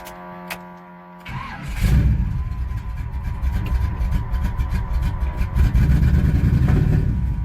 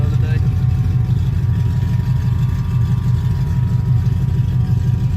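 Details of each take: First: 1985 Chevy C10, Vortec 350 with Lunati cam, NGK TR55 plugs a couple months old, after earlier carburetor fix: lumpy, stumbling, irregular running with popping and backfiring on revving; likely misfire on at least two cylinders from failed spark plugs. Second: 1985 Chevy C10 with a Vortec 350 and Lunati cam, after three failed NGK TR55 plugs were replaced with old Autolites. Deep, steady V8 idle with no miss, now running on all eight cylinders.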